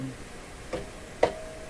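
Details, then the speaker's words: Philco 38 C7 tube radio during recapping of the volume-control capacitors: two sharp taps, the second leaving a clear mid-pitched ring for half a second; a microphonic tube is suspected, not confirmed. "it's got a microphonic tube hey almost certainly a tube"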